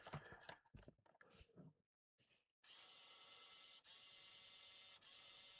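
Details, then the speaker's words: MiniDisc recorder from an untested eBay joblot, retried with a known-good disc: handling clicks, then a thin high whir that cuts out and restarts, not reading the disc. Owner suspects the machine may be faulty. "No, I think this might be a faulty machine. Doing a better job of what it did before. It's not reading a disc, but at least it's not constantly searching."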